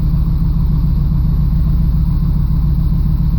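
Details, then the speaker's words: 1989 Camaro IROC-Z with a cold/sat-start problem, started cold after fuel filter replacement: even low throbbing idle with a steady beat, no stumble or miss, much smoother than before. "it's cold but it starts it's a lot smoother than it was before because that fuel filter"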